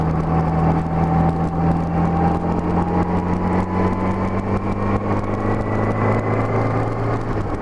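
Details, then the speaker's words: 1984–85 Honda GL1200 Gold Wing after Honda's low-speed driveability carburetor kit, accelerating from about 2,400 rpm in fourth gear up to 55 mph: engine note climbs slowly and evenly under wind noise, no misses or hesitation; normal acceleration. "accelerate smoothly on up to 55"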